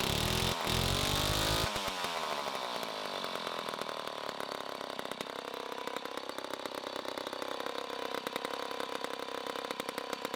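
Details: 1960s Homelite C-51/XL-12 vintage two-stroke chainsaw, started after a couple of pulls with the choke out: it settles into a loud, slightly uneven burbling run. It is running a little rich, and the owner says it may be getting low on fuel.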